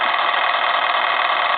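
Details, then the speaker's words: Repaired German telephone, rear bell volume control turned all the way down: continuous rapid thin metallic bell trill, still ringing steadily at reduced level before stopping; the control never fully silences the bell, hence the added switch. "never really turns it totally off and that's why HG likes to have switches on"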